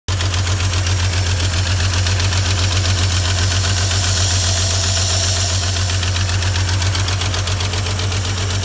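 Steady, even idle with a regular low pulse and no misses or knocks. This engine is running smoothly and sounds healthy.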